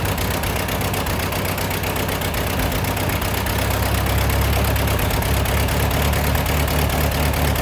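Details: Ford 8N tractor, sat in a field 10+ years, after carburetor rebuild and adjustments: steady fairly fast idle with even low rumble never dropping to slow tickover; idle set too high.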